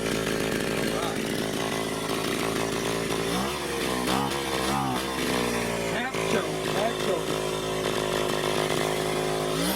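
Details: Echo PB-202 backpack blower, almost 40 years old, started easily: high buzzy two-stroke note rising and falling cleanly with a little throttle on half choke, no bogging or misfire; normal running.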